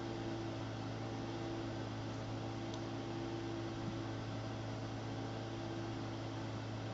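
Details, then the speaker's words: AMD K6-2 desktop PC running benchmarks: steady even fan roar with constant low hum, no speed change; loud cooling fan due for replacement. "You can probably hear the loud fan on this. I have a replacement for that."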